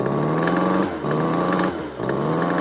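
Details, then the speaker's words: Engine, possibly 2-stroke, revving in quick repeated bursts about once a second with a hard rattling knock on each pull. Owner suspects a busted piston. Engine knock. "I I want to show you guys what the sound of engine knock is cuz this is a perfect example. I think this got a busted piston."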